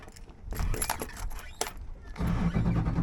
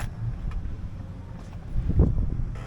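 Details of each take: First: Outboard boat engine after replacing the fuel/water separator filter, which was fitted without pre-filling with fuel: starter turns it over steadily for a few seconds with no firing until the primer bulb is pumped; no start due to unprimed fuel system. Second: Boat outboard after replacing the fuel/water separator, fixing stalling when getting on plane, with the filter primed via the bulb: steady, even, smooth idle with no stumbling or surging.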